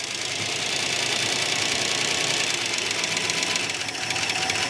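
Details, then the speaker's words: 1969 Barracuda first running after 27 years sitting; fast, sharp top-end clatter over a thin idle despite oil pressure at gauge center; worn hydraulic lifters rattling the valve train. "Very clattery. Very clattery. [Music] It's showing oil pressure though."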